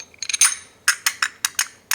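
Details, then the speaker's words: Permobil F3 power wheelchair, 2 years and 1200 miles, parking brake disassembled: sharp, bright metallic clicks as the armature plate is pulled by the electromagnet against its spring, the normal brake on/off click. "and if you kind of kind of hear that noise that's basically what's making your brake noise when they turn on and off"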